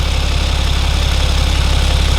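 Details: BMW N57 diesel after timing chain and main bearing replacement, idling warm during gearbox oil level procedure: smooth even idle, steady low thrum, regular firing, no knocks or rattles; normal idle.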